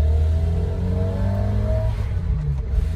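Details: Old Fiat 127 four-cylinder, original, with automatic choke, starting up; catches and revs smoothly, pitch rising and falling evenly with throttle, no knocks or misses; normal running.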